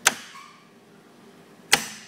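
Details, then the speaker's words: Ice bank refrigeration control box with the live wire removed from the board: two sharp clicks as the contactor and solenoid still pull in without a control signal, suspected backfeed or miswiring. Ice level control was linked out; the selector switch was faulty. "that that contactor pulls in and also the solenoid"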